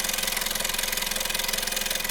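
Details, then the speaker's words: 1.2 TSI EA111 at about 80,000 km, chain kit fitted around 17,000 km: fast, even metallic timing-chain rattle at idle, about twenty beats a second, from a stretched chain. To be replaced with Skoda repair kit 03F198158B. "Questa qua la catena che oramai è allungata. Pure al minimo fa rumore."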